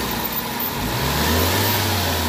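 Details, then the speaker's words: Toyota Vitz engine that vibrates when shifted into drive or reverse: low uneven hum rising as load comes on; misfire traced to oil leaking into and filling the spark plug well. "ang problema guys yung oil nasa spark pag na kita niyo naman yan punong-puno so problemang malaki yung oil leak"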